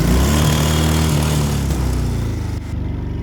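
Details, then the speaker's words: Quad two-stroke engine after fiddling with the CDI unit and handbrake locked: steady, even beat with a firm low drone, no misses and no smoke; now running cleanly after earlier refusing to start. "Seems to have sorted itself out now. That runs. Listen to that. Listen to that. That sounds really good."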